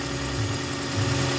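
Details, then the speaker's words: 2007 first-gen Toyota Vios petrol engine, recorded in the engine bay: quiet, steady low hum at idle with no tapping or irregular beats; engine running smoothly and healthy. "Tahimik na yung engine niya ngayon, tatahimik na."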